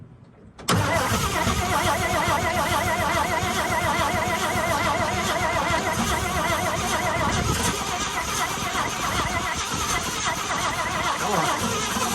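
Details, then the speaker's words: Abandoned 1962 International Harvester B-series farm truck, long-sitting: catches abruptly then settles into a loud, uneven, lumpy run; runs only on gas poured down the carburetor throat. "because it has no brakes and because it will only run uh with the gas that we're pouring down the uh down the throat"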